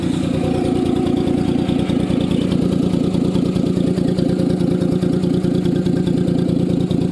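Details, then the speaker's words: Maruti Alto car idling after its silencer caught on a speed breaker and cracked: loud, raspy chuff pulses steadily with each firing, too harsh for a sealed exhaust; cracked muffler leaking. "उसका silencer जरा सा फट गया है और उसकी आवाज भी कैसी आ रही वह भी आपको सुना देता हूं"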